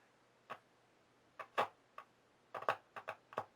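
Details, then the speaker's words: Late-1920s Jensen Type D Model 4-AC electrodynamic speaker, field coil near full power through a series bulb, crackle test: sharp louder crackles and clicks over AC hum from the field coil, nothing getting hot; speaker working fine. "again it's it's the crackles much louder so now take it up just a little higher being careful"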